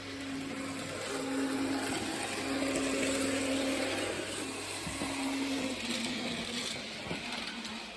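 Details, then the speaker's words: Hornby TT:120 DCC locomotive with a Hornby-fitted replacement motor at full speed (CV 255, 126 speed steps): harsh, steady buzzing whir with a wavering mid-pitched tone; motor excessively noisy and too slow for scale speed. "I'll just pull that back down. So you can hear the motor is excessively noisy, and it is also, I'd say, too slow. It's struggling to get anything like its scale speed."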